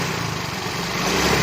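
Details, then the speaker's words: Yamaha Fino 125 scooter engine runs rough and responds late to throttle when revved; teardown of the cylinder head found loose valve clearance, blamed on poor oil. "Tuh, di gasnya ini telat. Nah, tuh, ini berbet nih."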